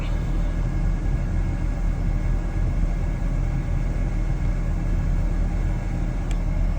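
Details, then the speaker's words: 2006 Ford F150 idling after fan clutch replacement, where the faulty clutch had pushed A/C high-side pressure to 400; fan spinning better, pressure dropping toward 250, pipes cold; deep, steady rumble with even fan rush, no roar, squeal or rattle. "The fan is installed. It's spinning a lot better. My pressure is a lot better."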